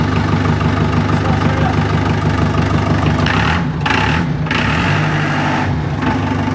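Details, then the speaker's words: Forklift, about 2003–2004, 4,200 hours, 10,000 lb lifting capacity: holds a steady, low, even idle with no knocks or misses; sounds healthy. "it sounds good it sounds really good it's it only has 4200 hours I think it's like a 2003 or 2004 so that's not that many hours for 20 years"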